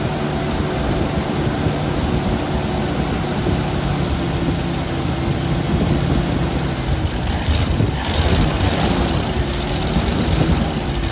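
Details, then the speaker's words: 1979 Jeep CJ5 that sat since 2019, fed fresh gas straight to the mechanical pump, bypassing the tank: lumpy, uneven idle with a wandering low rumble and no steady beat; rough running, carburetor leaking fuel and sucking air, needs a rebuild kit. "I think we're fighting a carburetor here so I need to get a rebuild build kit for this but it's obviously sucking air and leaking fuel"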